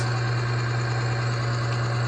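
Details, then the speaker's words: Oil additive load tester running on oil treated with UHP Innovation HP shot, holding 12 weights: steady, even low hum with no knocks or grinding while loaded; the oil film holds and it runs smoothly with little damage taking place. "You can hear it, how smooth it is. And you can just hear that not a ton of damage is taki"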